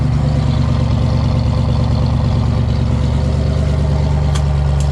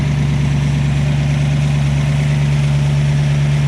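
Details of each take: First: 1967 Ford Fastback with a 289 V8 and a new cam, revived after sitting and showing high oil pressure: a deep, steady idle lope with an even beat and only faint lifter tick; it sounds healthy, and the timing is about to be adjusted. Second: 1967 Ford Fastback 289 V8 with a new cam, idling with high oil pressure: steady, lumpy idle with a faint light ticking on top from the lifters.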